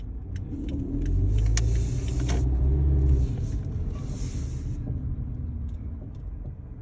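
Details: 2012 Kia Forte driving slowly at 5-15 mph: light, irregular clunks and taps through heavy low road rumble, source unknown.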